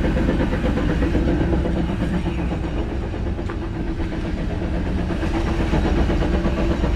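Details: 2010 Jeep Wrangler on jack stands, in gear with wheels spinning: low train-like rhythmic whir about three pulses a second from rear drivetrain, silent when not engaged; rear diff gears clean, no driveshaft play, owner suspects bearings; cause unknown.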